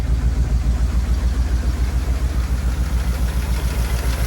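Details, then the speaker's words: 1950 Pontiac Silver Streak straight eight, sitting almost 40 years, now running. Deep, even, steady idle of about 3.5 beats a second with no breaks; the oil pressure gauge works. "Man, this thing's running pretty good."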